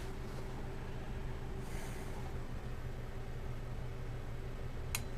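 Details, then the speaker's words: Pioneer SX-650 vintage stereo receiver being checked, barely any volume output: steady low hum, then one sharp relay click near the end as output engages at switch-on; amp section appears not in protection mode, normal protection relay click. "hear that second click so the amp section appears that it's not in protection mode"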